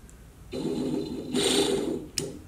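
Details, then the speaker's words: Fleetwood F53 Class A RV water pump motor bench-tested with jumper wires: whirs up to a steady mid-pitched hum in short runs, no grinding or catching; motor normal, fault suspected in a dirty pump part. "Motor tests out. That's good."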